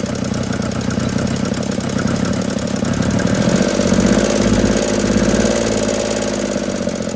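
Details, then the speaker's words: 1950 DeSoto Custom club coupe that sat about six years, restarted after a fuel line was run to the carb, bowl filled and accelerator pump working: an uneven, lumpy rough idle with knocking pulses. Cause not yet known. "Let's give her another try. There it went. Doesn't idle very smooth."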